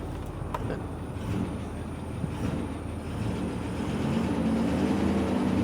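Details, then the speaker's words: Ford 6.4L Power Stroke diesel V8 on a cold morning, idling just after start-up: faint, fairly regular knock in the low clatter, a slight rod knock when first started. "yeah so it's got a little bit of a it does have a little bit of a rod knock when I first started up"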